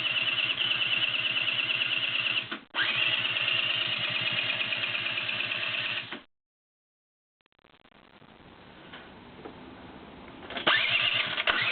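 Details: Peugeot Speedfight scooter with new spark plug, new petrol and good compression: rapid steady cranking about three beats a second, stops and repeats, never catches. Cranks but will not start.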